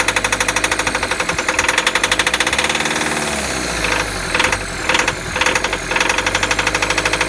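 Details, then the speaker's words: VW T4 diesel van, sat four years, after fuel system overhaul: an uneven, lumpy run with irregular hard knocks about twice a second that stumble and recover; suspected fuel pump problem. "it's just a touch snorky hey runs stop running right now"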